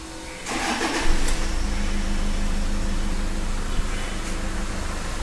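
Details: Toyota Fortuner diesel after repair of hard starting, knocking, white smoke and pickup loss. Idles with a steady, even low rumble and no knocking, stumbling or hunting, and revs freely. Normal idle.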